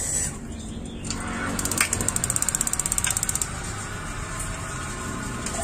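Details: Gas water heater whose flame lights only briefly: rapid sharp ticking, about a dozen clicks a second for under two seconds, over a steady gas hiss as the igniter keeps sparking to relight; electrode suspected, igniter clicking and flame cuts out.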